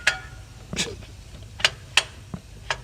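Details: Sharp, irregular metallic clicks as the flex plate is rocked by hand with the transmission removed. A cracked flex plate on the crankshaft was the cause of the engine knocking noise.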